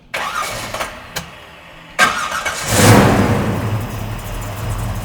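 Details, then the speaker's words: 1969 Chevrolet Chevelle V8 with a newly installed FST Billet X-treme carburetor, first cold fire-up: a few short cranks, then it catches cleanly and settles into a smooth, steady idle, slightly high; normal start. "so that was a really nice first start for a motor that has no fuel in it and that was the first fire up"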